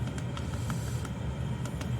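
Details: Chinese Webasto-type diesel heater running four minutes after start at a 17 °C setpoint. A steady low roar of the burner fan with faint scattered ticks, running evenly at full output.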